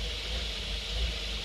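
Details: Engine running on a 3D-printed metering block, after all its holes were drilled out and the block ground thinner to fit; steady, even hum with a smooth low drone and constant hiss, no misses or knocks, running cleanly.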